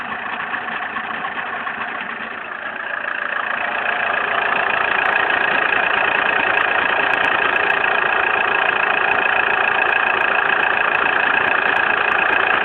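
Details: Opel Zafira: steady idle carrying a constant high whirring tone that grows louder after a few seconds. Source unclear. Abnormal engine noise at idle.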